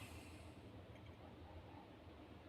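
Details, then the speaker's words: ZIL-130 engine after overhaul: heavy low hammer-like knocks repeating steadily at idle; bearings, pistons, rockers and compressor checked fine; cause was a small 10 mm nut inside the engine. "Ну стук есть дальше будем разбирать смотреть стучит так как будто молотком посмотрим"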